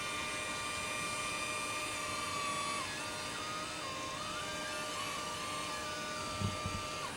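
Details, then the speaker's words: Permobil dual-actuator power leg rests extending: a steady motor whine whose pitch wanders up and down as position sensing speeds up or slows each actuator to keep them in step; this wobbly noise is normal operation. "now these permobils they sound a little bit weird you can hear sort of a wobbly noise as this is happening the actuators obviously move at different speeds because they're different actuators"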